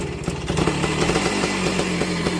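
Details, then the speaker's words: 1968 Benelli Leoncino Scrambler 125cc two-stroke after fitting a proper two-stroke silencer in place of a four-stroke one: crisp, busy buzz at steady fast idle, loud but even with no misfire; sounds better but not quiet, normal exhaust note. "She sounds better, but not quiet."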